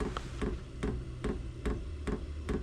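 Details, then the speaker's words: Diesel heater starting up, run briefly without its screen: crisp, evenly spaced ticks about two to three per second over a low rumble; the fuel pump is pumping normally. "It's pumping, so that's a good thing."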